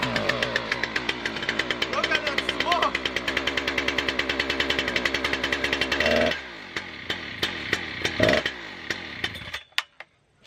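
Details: Husqvarna 3120xp chainsaw, large two-stroke, hard to start: fires in rapid uneven bursts, then stumbles and sputters before dying; owner found it flooded badly, took about 40 minutes to start; sputtering on start.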